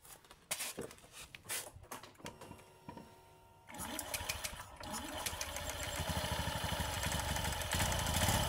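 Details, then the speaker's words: Honda Beat scooter after CVT drive belt installation, cover off, tested before closing: starts and revs smoothly with no whine; belt correctly tensioned, since a loose belt makes a whining sound when revved. "oke teman-teman ya nampak suaranya halus ya halus dan digas enggak bunyi Wing gitu"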